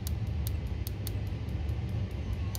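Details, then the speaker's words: Boiler with two solenoids, pilot tube and electronic ignition via HT lead, locking out: sharp crisp ticks about five per second over low burner rumble, no spark seen at the pilot; spark arcing out along the HT lead. "okay so we're definitely arcing out somewhere on that HT lead simple as that"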